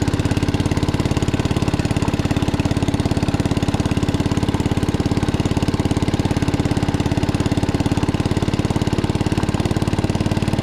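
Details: 1961 International Cub Cadet Original tractor, 7 hp Kohler single-cylinder, driven after new tubes were fitted: steady, even thump at an unhurried pace with no knocks or misses; running normally.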